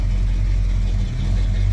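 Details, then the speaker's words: 1987 El Camino SS V8, not started in 6 months, at a steady, even, clean idle with no knocks or ticks; runs cool, oil pressure possibly low; sounds good. "But yeah, it sounds good. I am one happy camper."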